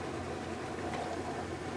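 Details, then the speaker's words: Kenmore washer after DIY repair of a no-spin, clicking fault, reassembled and tested: even rushing run with no clicks, knocks or grinding; washer working normally. "I'm going to flip it around and test it alright as you can see it works beautifully"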